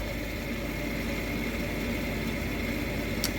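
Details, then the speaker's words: Payne furnace draft inducer after motor replacement, old motor had made a chopsaw-like noise; steady smooth hum with even airy whoosh, no chopping or rattle, furnace then lit; normal operation. "okay that sounds way better than the old motor"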